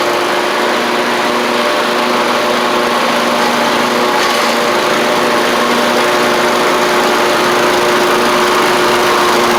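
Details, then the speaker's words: Troy-Bilt zero-turn mower, Kohler 24 hp 7000 series, driven up the driveway: steady, even engine drone at constant pitch with no misses or knocks. Normal running under load. "Test it out here. Sounds good. Take it for a quick drive up the driveway."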